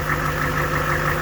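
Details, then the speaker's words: HMMWV diesel idling: steady whine with faint pulsing from air trapped in the hydraulic system, being bled out. "there was wine like this and i had to uh it was a little low on fluid and actually just driving it it went away but this is how you can get that wine to go away um because that's air in the system is why it's it's why it's whiny like that"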